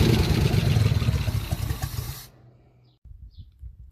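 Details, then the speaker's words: Barn-find 1956 Chrysler New Yorker St. Regis 354 Hemi V8, sat over 30 years, first runs: deep, even rumble with steady firing pulses before dying down; sounds healthy, needs fine tuning, fuel pump suspected weak. "obviously it still needs a little bit of fine tuning it starts up and runs"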